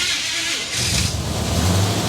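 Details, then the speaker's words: 1970 Chevy Blazer rescued after sitting, first start with the gas pumped and no choke: a brief crank, then the V8 catches cleanly and settles into a strong, even run without stumbling, a healthy start. "ah there it is fired right up sounds pretty good too"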